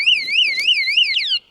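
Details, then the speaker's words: Rechargeable motion-sensing alarm hidden on an electric mountain bike, triggered by moving the bike: shrill electronic tone warbling about three times a second, then cut off when switched off. "that uh detects movement, and it's already gone off a couple of times. I don't know if you've heard it. So, if I'm looking to um move this bike in any way, uh, an audible alarm goes off."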